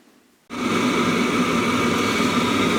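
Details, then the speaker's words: Webasto Thermo Top C auxiliary heater from BMW E60 after repair lights with sudden steady roaring hiss and faint even hum, no sputter or surging; works like new, no smoke, no errors, temperature rising. "you can see and hear, the stove is working like new, no smoke"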